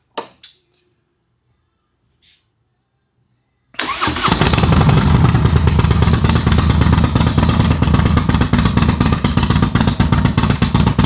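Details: Harley Dyna V-twin with Comp Cams 4102 cam, after custom ThunderMax tune built without a base map, at startup: a few clicks, fires straight up, settles into even, deep, loping idle; runs clean and steady.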